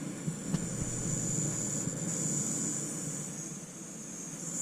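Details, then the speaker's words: Desktop PC about five years old, never repaired: power supply gives a steady high-pitched whistle over soft fan hum, worse under load, heard after Windows loaded; whistling power supply. "начинает свистеть здесь, это что-то с чем-то."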